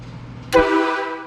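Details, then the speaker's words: New bus air horn bench-tested indoors on shop air and a 12-volt battery: one short, very loud, clear blast with steady pitch tailing off cleanly; horn works properly. "Holy Holy. I didn't think it was going to be that loud."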